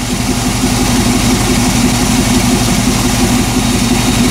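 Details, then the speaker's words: 1998 Chevy van 5.7 after intake manifold removal, codes P0300, P0171, P0174: uneven lumpy lean idle, stalls when put in gear, better at higher revs; short-term trim 50%, long-term 25%; intake manifold vacuum leak. "оплива такие симптомы как хлопки в коллекторе особенно на холодную и худшая работа на холостых оборотах и улучшение работы на больших оборотах я предположу парни что это подсос в коллектор"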